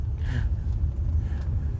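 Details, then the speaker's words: 1964 Cadillac Coupe De Ville on its first drive after repaint, started cold in a garage around 10 degrees: a short clunk and rattle over a steady low engine rumble as the parking brake releases, normal. "That noise was the parking brake release."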